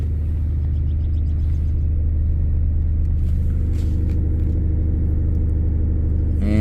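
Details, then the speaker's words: 2006 Lincoln Town Car V8, not yet at operating temperature, during a scan-tool self-test raising RPM: deep rumble with an uneven, lumpy pulse, a misfire (code P0354, cylinder 4 ignition circuit); it had run rough after sitting two weeks. "I just heard the engine I felt the engine come down and feel that little bit of a rumble almost feels like something's misfiring"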